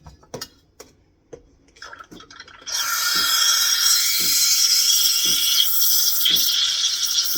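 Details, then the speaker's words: Sumsaty espresso machine steam wand after purging excess water: steady high hiss with a light, even paper-tearing crackle once in the milk, showing the milk is foaming properly for a latte. "Now from here, when you start steaming your milk, you're going to be listening for a paper tearing sound. When you hear that sound, you know that the milk is creating a foam."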